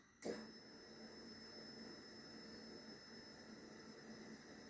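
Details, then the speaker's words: Triumph Tiger with a no-start problem and no fault codes: fuel pump run test triggered from the dealer diagnostic tool gives a steady, faint electric whir, so the fuel pump works normally. "so the test takes a few seconds but I can hear the fuel pump physically physically running okay so that we know it's the fuel pump is functional"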